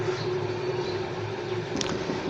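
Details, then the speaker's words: Pedestal fan with good bearings running: steady motor hum with a buzzy vibration; the bearing has come loose on the shaft and vibrates; fan rattle from a bearing loose on the shaft. "ये जो शोर है ना ये बैरिंगों का नहीं है, इसका जो है ना शाफ्ट पे जो है ना बैरिंग लूज़ हो गया है, तो इसलिए ये वाइब्रेट कर रहा है, आवाज़"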